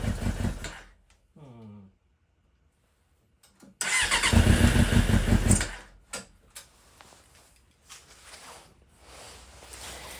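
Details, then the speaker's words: Suzuki GSX600F Katana that won't run right and also overcharges its battery. Starter whirs, engine catches and holds a fast idle that won't drop, even after new boots. Owner suspects an air leak elsewhere or a carburetor problem. "Still sounds like it wants to idle fast and that my boots didn't work. Which makes me wonder if it's getting an air leak from somewhere else or what is going on."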